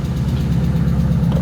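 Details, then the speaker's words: V8 at idle: quick, even ticking in time with firing, with exhaust smell; suspected leaking exhaust manifold, while a separate moaning noise is blamed on the power steering pump. "so that sounds like an exhaust leak the ticking noise yes yeah"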